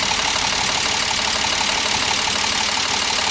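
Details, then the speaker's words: BMW E46 M54 petrol inline-six after oil pump nut fix and oil pan gasket replacement, idling with a sharp heavy tick about four a second over a busy hiss, felt at the spark plug; not a regular lifter tick, cause unconfirmed. "Still got a gnarly tick right here. You can feel it in the spark plug. You can feel it right there. It's fucking heavy."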